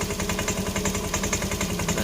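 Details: Honda Scoopy eSP scooter idling: rapid, regular clunking knock, roughly eight to ten per second, clattering from the CVT; worn roller housing/boss or sliders as the usual suspects.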